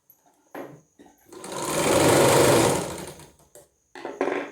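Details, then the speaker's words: Sewing machine test-run after removing the bobbin and cleaning thread jammed in the shuttle: short burst of smooth, even whirring stitching that rises and fades with no catching or knocking, running freely. "ನೋಡಿ machine ಒಮ್ಮೆ ಓಡಿಸಿ ಸರಿ ಆಯಿತು ಅಂತ check ಮಾಡೋಣ."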